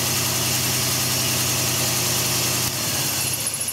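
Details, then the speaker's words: 2003 Toyota Echo with a misfire code, four-wire coil-over-plug ignition, power balance test: already rough idle stumbles and gets rougher as coils are unplugged, RPM drop on cylinders one, two and three showing they fire; unplugging #4 coil gives no change. "do the number three if you can hear it got an RPM drop number two so you hear RPM drops on one two two and three"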